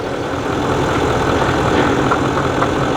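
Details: Nissan Titan 5.0L Cummins diesel after rebuild, first run to confirm repair: steady, even idle with a smooth low rumble, no knocks, misses or ticks; engine sounds healthy. Transmission leak still to fix.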